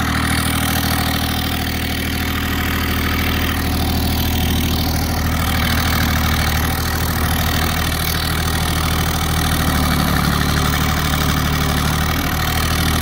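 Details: Kubota GR2110 mower with an added RHB31 turbo: an even, steady diesel drone with a deep low beat and a soft hiss above it, with no knocks or misses. Normal running with turbo.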